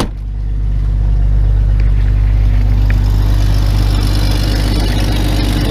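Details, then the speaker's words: Jeep Cherokee XJ, EFI junk engine that sat on a crate, cold start at 14°F: strong, even low rumble with steady beat settling right after start; idles smoothly without misses or knocks. "go for a junk engine that was laying on a crate it sure runs good"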